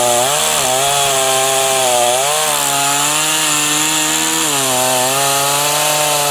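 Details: Titan TTL759CHN petrol chainsaw, heavily used (about five to six tons cut this winter), hard to start when hot or after refuelling: screams at high revs, then sags and recovers repeatedly while cutting; owner attributes bogging to an incorrect carb low setting.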